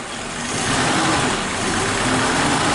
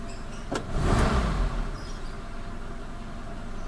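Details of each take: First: Warm Suzuki Katana carbureted engine idling: the idle mixture screw is set too tight (too lean), so idle speed is low, with an airy, slow, uneven note. Lean idle mixture, low idle speed. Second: Suzuki Katana carbureted engine after cleaning and idle mixture adjustment (screw out one full turn total), started easily when cold with the clutch pressed: two quick throttle blips rise cleanly without stumbling and drop back to a steady idle. Normal throttle response.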